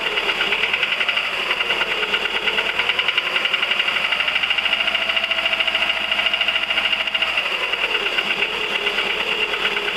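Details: 1999 VW 1.4 16V: light quick ticking about two per second over idle, no knock beneath; engine ticking at idle, cause unconfirmed.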